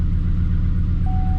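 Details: 2007 Chevrolet Silverado at idle with a misfire complaint: uneven, lumpy idle with irregular low thumps. Scan-tool misfire counts for cylinders one and seven climb rapidly (five and six were high earlier); a relative compression test comes next.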